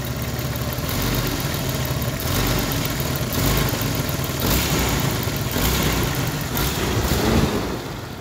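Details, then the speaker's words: 1992 Jeep Cherokee petrol engine at idle: rough running with a deep repetitive knock and stumbling beats from a misfire; the owner also suspects clogged injectors given slow starts, and plans to swap the engine. "nothing sounds bad from up here but this engines got a knock to it now all right so you can kind of hear a misfire going on"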